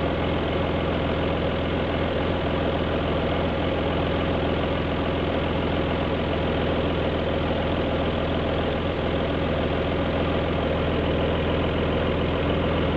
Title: Alfa GT V6 misfire